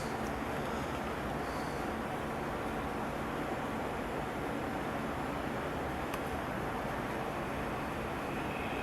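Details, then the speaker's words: 1951 Stromberg Carlson C1 tube clock radio with its original filter cap, first power-up before recapping: a steady low hum under constant hiss, present even with the volume down. A microphonic heater-to-cathode short in a tube is suspected, not the filter cap. "that almost sounds like a heater to cathodes short or something to you yep we got a microphonic Peter to cathode short I believe"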